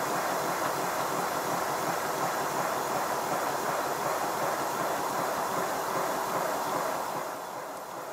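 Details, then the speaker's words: Model steam locomotive (Simplex converted to GWR Prairie tank) test-run with the blast nozzle removed: soft, hissy chuffing with an uneven, ragged beat. It runs less well without the nozzle's back pressure, but the whistle is gone, implicating the nozzle. "you should be able to hear that it's not running quite as well as it does when it has a blast nozzle the back pressure helps to cushion the moving components in the cylinder"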